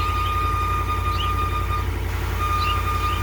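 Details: 2019 Ram 1500 on cold start: a thin steady squeal with faint chirps over the idle; replacing the alternator, battery and battery sensor did not help, and replacing the idler pulley and tensioner together cured it.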